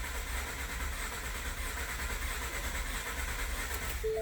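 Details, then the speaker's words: 2016 Ford F-150, about 20,733 miles, with check engine light and rough running. A relative compression test is cranking at wide open throttle with a loose, uneven rhythm. Cylinder 3 is 3% lower than the others: low-compression cylinder. "you hear we can hear that we have a compression issue on the car you can hear that or not"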